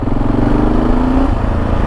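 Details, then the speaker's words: Kawasaki KLR650 single on its first test ride after rebuild, brakes not yet bedded in; steady low thump climbing smoothly in pitch under acceleration, no misses or knocks; running nice, normal. "Oh, she pulls okay. Brakes seem okay. They need bedding in, so we're not going to go too mad, but she's running nice."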